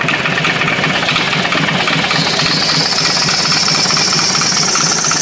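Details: S&S 80 Evo V-twin idling; steady ticking knock over the lumpy beat and hissy top end; knock source undetermined.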